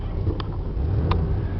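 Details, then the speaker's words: Ford E350 Winnebago Mini Winnie motorhome maneuvering, with plenty of power and normal shifting. Low, steady engine rumble with a couple of light clicks and no knock or miss; the motor sounds good. "the motor sounds good"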